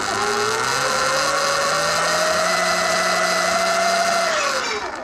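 A loud, steady high-pitched scream rises with motor speed and then holds; the primary drive belt is adjusted too tight.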